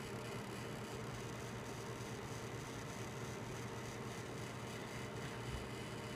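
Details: Gigabyte G1 GTX 1070 graphics card fan with a steady whir and a rough, gritty grinding that appears around 50% of maximum fan speed. Fan defect.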